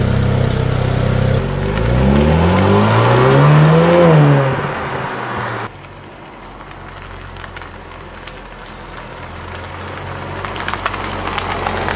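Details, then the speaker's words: Used Jaguar F-Type with switchable sports exhaust, driven: sharp rev climbs that fall back cleanly, then a quieter steady run; crisp, even sporty exhaust note, engine healthy. "they have what's called a "Switchable Sports Exhaust." That is a function where you press a button-and the car becomes somewhat even louder,-"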